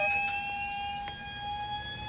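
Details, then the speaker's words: Turbocharged Honda SOHC on the dyno: steady high whistle over the engine creeping up in pitch as pressurised air escapes; turbo boost leak whistle. "now we have a leak here. So if we have something else that wants to leak, well, your air is going to want to escape to the easiest route possible."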